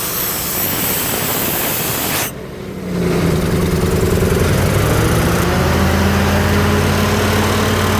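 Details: Ford 302 V8 driving an air compressor, after a tune-up with new plugs, plug wires, cap and rotor and a new fuel pump; wind noise, then steady, even low rumble under load with no misses or knocks.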